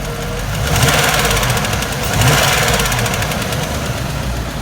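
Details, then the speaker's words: 2000 Land Rover Discovery 2, 4.0 engine rebuilt with flanged liners, new cam and lifters, ticking after about 2000 miles, concentrated at driver's side valve cover; fast light tick rising with revs, barely heard at idle; suspected valvetrain, possibly sticking lifter or flattened cam lobe. "Okay, so at idle, this is the way it sounds. Can't really hear the tick. You rev it, and you hear it. I think it's probably valve train related."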